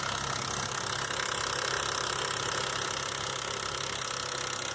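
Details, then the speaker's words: 2005 Nissan Xterra VQ40DE at idle: busy metallic rattling and tapping; a broken tensioner guide hook left the timing chain slack and slapping; noise gone after replacing timing chains, guides and all three tensioners. "So I don't think the chain was getting tension like it should, and it was kind of slapping around like that. I believe that was the cause of my noise."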